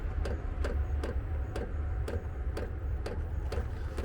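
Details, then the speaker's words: Vevor diesel air heater in a Fiat Ducato camper van, two to three minutes after switching on: crisp, evenly spaced ticks about twice a second over a low steady hum, the fuel pump metering normally during startup. "Ça y est, on entend au bout de 2 minutes, 2 3 minutes, on entend la pompe"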